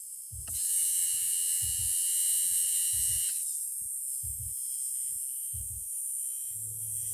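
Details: Lada Niva Urban heater blower motor after repair: steady high-pitched whine holds even, no rubbing or rattle; running smoothly.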